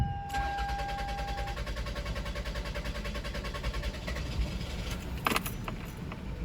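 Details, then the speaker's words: 2001 Toyota Highlander 2.4L four-cylinder, check engine light on, fuel pump already replaced without fixing it: starter churns steadily about five to six turns a second for over five seconds before catching, an extended crank from fuel pressure loss. "All right, so hopefully you guys were able to pick that up, but we got a pretty extended crank when you go to start this thing."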